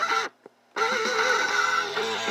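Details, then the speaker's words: 8-track tape with an incorrectly replaced pressure pad that is too thin/short: music dull and smeared with a dropout then weak wavering playback, as the pad doesn't press the tape against the head. "and the reason it sounds like that is because the pressure p is not thick enough it's not pushing the tape up against the head"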